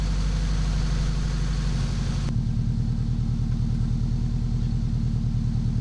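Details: Integra at idle after a large exhaust leak was welded up and the exhaust refitted, with the front pipe to the header re-cut and re-welded. Steady, even low rumble that settles lower, with no ticking or puffing; the exhaust sounds sealed.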